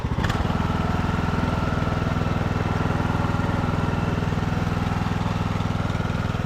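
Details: Revived Craftsman YT3000 riding mower, single-cylinder, abandoned four years, after clearing fuel from cylinder: steady even pulse, no squeal or knock from pulleys; healthy run.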